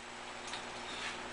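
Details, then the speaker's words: Briggs & Stratton ZH engine, partly disassembled with carb and valves removed, turned by hand; two faint light clicks from slight backlash in the dry cam and governor gears, the apparent source of the knock; owner assumes oil will quiet it and that it's normal. "there's a little bit of slop in the cam gears and I'm assuming that when there's some oil in there that'll quiet down the governor thing works on a gear and so does the cam for the valves and those gears got just a tiny little bit of backlash in them"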